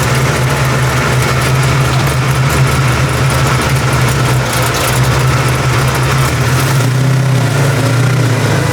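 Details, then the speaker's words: 1989 Mustang notchback V8 with a rebuilt carburetor, warmed to operating temperature: deep, steady, even idle burble with no stumble or misfire. The earlier rough running is attributed to the engine being cold. "but I think the car was just cold so once I got it up to operating temperature everything seemed to be pretty kosher"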